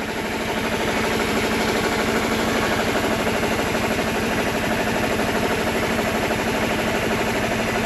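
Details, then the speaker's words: Mercedes W124 220CE idling roughly with a lumpy pulse around three per second and visible engine shaking. Owner suspects a misfire, possibly from HT leads swapped; the engine later cuts out once warm. "oh okay it's idling but really nastily that is nasty idle i can see the engine shaking so i don't know if she's misfiring or what"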